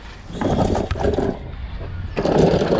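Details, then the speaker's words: 2004 Dodge Ram 1500 4x4 4.7 V8, crank no start, fuel pump relay cycled by scanner, heard at the driver-side tank after banging on it: rough low hum switching on and off in bursts; failing in-tank fuel pump. "oh I heard something there it goes so it's pulsing because the PCM is"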